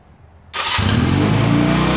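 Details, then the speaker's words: Honda Rebel 250 (CMX250) after carburetor rebuild and fresh fuel, sat over a year: fires first try and settles into steady even idle with no misses or knocks; healthy. "okay guys so I'm gonna let it run for a while it's been sitting for probably more than a year so it's still good for it to run some and seems like everything's gonna be fine"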